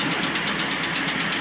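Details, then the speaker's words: 2009 Dodge Ram, driver's side exhaust manifold with one broken bolt: quick, light ticking paced with the idle over a hissy exhaust note; exhaust manifold leak from the broken bolt. "now you can see right here this is where the ticking noise was coming from"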